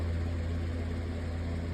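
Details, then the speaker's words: Lasko 18-inch oscillating table fan with a new replacement blade, on high speed: low steady motor hum, even whoosh of air, no rattle or wobble; runs smoothly and healthy. "So, there's high. This is medium. Still blowing a pretty good breeze."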